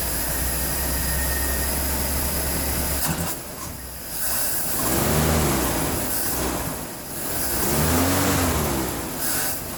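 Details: 1976 Chevrolet C10 Scottsdale parked 40 years, new spark plugs, carburetor bowl filled, running on old tank gas: old V8 runs steadily, smooth quiet idle with two rev swells; slight hesitation if revved too quickly.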